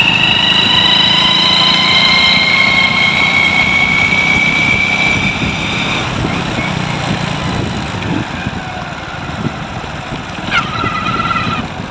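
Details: Hero Splendor Pro before repair, noise when riding in gear: engine running with a thin high whine and gear chatter over the exhaust; worn primary drive gear noise, fixed by replacing the primary drive gear.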